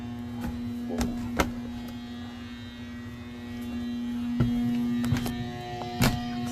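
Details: Loud upstairs AC unit not cooling the house (73° inside, about 77° outside): steady electrical hum with no fan rush, broken by a few clicks; the fan motor is seized and only buzzing.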